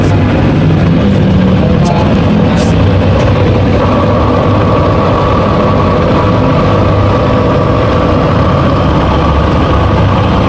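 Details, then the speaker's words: Honda ADV 150 scooter idling with a steady engine drone and a faint thin whine from the drive side; the transmission is noisy, and the CVT side and top drive bearing are being checked before the primary gear bearing is replaced. "Bale ito nga pala mga boss, medyo maingay yung transmission niya."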